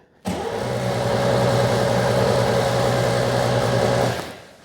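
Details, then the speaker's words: 2CV-based Falcon S kit car abandoned 23 years, coil hotwired to battery: steady starter cranking about four compressions a second, never catching, no spark; coil and HT leads swapped without improvement, owner suspects furred points or failed condenser. "nothing I can't see a spark oh no well it's sad news the uh we swapped the coil and the HT leads no impr Improvement so uh very likely the points are furred up maybe the condensers failed"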